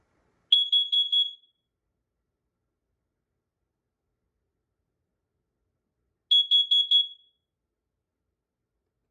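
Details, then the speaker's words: First Alert CO614 carbon monoxide alarm with digital display, made November 2012, fresh battery fitted: four quick shrill beeps, a pause of about five seconds, then four more; self-test pattern, working. "all right just gonna put the battery in see if it works GNA cover this up see if it just in case if it beeps says battery on here why does it say battery is it low battery all right it's testing"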